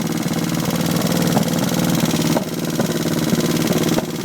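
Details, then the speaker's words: Twin-cylinder engine at low revs with right cylinder dead: lumpy uneven idle with irregular pops and farting, running on one cylinder; backfires when the cylinder is restored. "and farting. Right cylinder's not doing anything."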